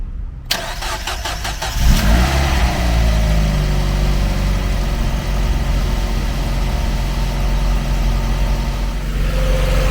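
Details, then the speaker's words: Mazda MX5 at 58,000 miles: brief cranking, then it catches first try and settles into a smooth, steady idle with no misfire or knock; healthy start. "start it up fine again it's only got 58 000 miles this one as well"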